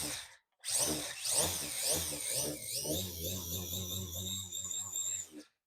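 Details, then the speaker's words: Team Durango touring car with a newly installed XC ESC E Series brushless motor and ESC, after a firmware upgrade and ESC restart: a rising and falling electric whine with quick throttle blips, smooth and strong with no grinding or cogging; motor and ESC are healthy. "So that, my friends, is looking pretty duffy and powerful, wouldn't you say? Oh, makes a nice hair dryer."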